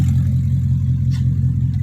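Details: 2002 BMW 745i V8, flood-damaged electrics, after power control module swap: heavy, deep steady drone with raw unmuffled boom; catalytic converters were removed and sold, leaving both pipes open, hence the loudness.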